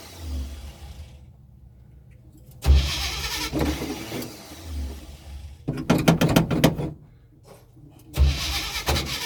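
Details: Hard starting on a 1984 Chevy: repeated bursts of cranking broken by pauses, the engine only briefly catching before it stumbles.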